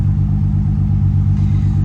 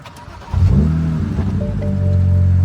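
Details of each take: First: 2007 BMW E92 335i idling after clearing codes, cylinder 5 misfire that began after a hard pull: low, lumpy idle with a repeating stumble; check engine light returned immediately; cause found to be a failed ignition coil. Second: 2007 BMW E92 335i start after codes cleared, with replacement ignition coil fixing the cylinder 5 misfire: quick crank, brief flare, even settled idle, no shake; no check engine light returning.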